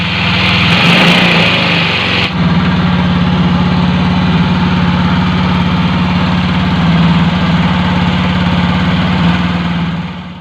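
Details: Automatic scooter whose idle rises by itself and stays high even after throttle adjustment: steady fast idle that never settles to a slow tick-over; high idle from a worn, broken throttle part that needs replacing.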